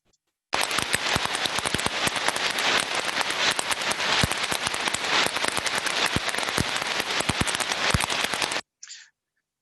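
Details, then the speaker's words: Heterodyned ultrasound recording of conveyor idler bearing number two: a harsh continuous crackle with repetitive sharp impacts at higher amplitude. It is in a worse state than bearing number one; a damaged bearing. "we can see more repetitive impact higher amplitudes so now we can start to determine that number two is in a worse state of health than number one"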